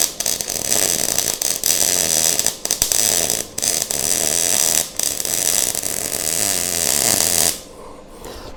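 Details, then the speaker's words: MIG welding for a 1:8 scale GP40 locomotive project; steady crackling arc with frequent breaks and uneven sizzle, weld sounds and looks a little better but not perfect, welder then slows wire feed: uneven MIG weld sound. "No, that ain't right either. It don't sound right. It don't look right. Maybe I got it too hot."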